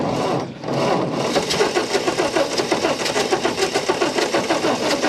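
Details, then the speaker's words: 1929 Ford Model A coupe that has sat for over 45 years, cranked with weak spark and the spark advanced: steady starter cranking with uneven rapid chatter and the odd sputter, but it never catches; the carburetor is suspected. "Come on, girl. Come on. Come on. It might be this carburetor. It doesn't like this."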